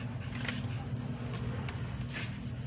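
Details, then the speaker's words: Elf truck towed in with wiring said to need full replacement; key switch bypassed with a push-button start, main fuse bypassed, only main supply missing: engine starts and runs with a steady, even low drone, no knocks or misses. "Ayan, napakalinaw, nagana oh."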